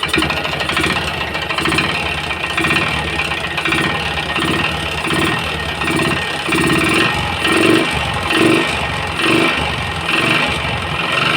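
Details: Yamaha Jupiter MX, started after sitting overnight, engine smoking: dull, regular knock about once a second at idle, diagnosed as a damaged connecting rod and piston block; parts replaced.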